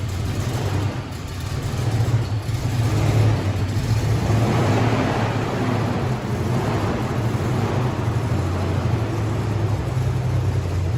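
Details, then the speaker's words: 1998 Toyota Tacoma V6, rear-ended and sat 7+ years: uneven, lumpy putt-putt misfire at idle after a repair attempt; one cylinder was later found to have no compression. "well yeah so we still have a problem obviously yeah still doing a bit of a putt-putt"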